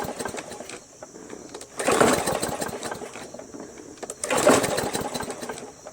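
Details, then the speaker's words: MTD Yard Machines 20" push mower with a Briggs 300E engine: two pull-start attempts, each a rough gurgling burst that dies. The owner first suspected timing or a sheared keyway, but found water in the carb bowl and tank. It fired up after draining. "well obviously it doesn't start the way it sounds it sounds like the timings off so maybe it's a shared key way"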